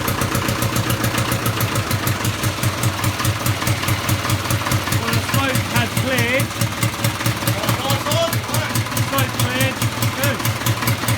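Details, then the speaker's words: Land Rover Series III, first start after an engine rebuild during restoration: an even, steady low chug from the four-cylinder with a regular firing beat and no knocks or misses. It runs well; normal idle. "well success stage would think it's running good sound sounds good running"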